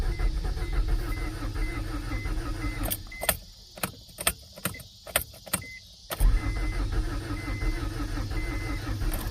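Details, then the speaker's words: 1992 Acura Integra, converted from automatic to manual, sitting for years, new distributor and starter, just fueled: starter cranks steadily, stops, clicks, cranks again without catching; owner suspects no fuel pump, not heard running. "Man, I'm kind of wondering if I just don't have a fuel pump. I'm not hearing it."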